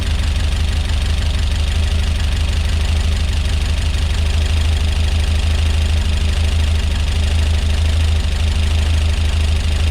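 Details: Peugeot 205 GTi Mi16 rebuilt engine, just fired up for the first time, cold: loud, uneven light tapping over a low steady idle; ticking at idle, owner suspects tappets and hopes it clears after a while.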